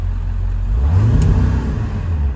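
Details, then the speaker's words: Ford E-350 4x4 with 7.3 L diesel, pulling away with visible smoke: a low, dull, muffled exhaust note that swells but never pulls, with no power. An EBP issue is suspected, unconfirmed. "Oh, right now it feels like it has no power. Hear how muffled it is? Smoke. I hear the smoke."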